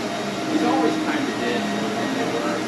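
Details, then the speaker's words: SC Johnson Vectron (Iona) vacuum: steady airy roar with a constant rough dry rumble from the brush roll; motor sounds good winding down, owner suspects bearings, rebuildable. "Motor sounds good winding down, but there's definitely some noise coming from the brush roller. Might just be the bearings."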